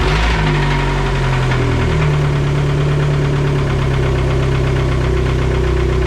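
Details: SRT4 engine started before teardown: fires up to a low, steady idle with a faint rhythmic knock underneath; knock in the bottom end, engine then removed.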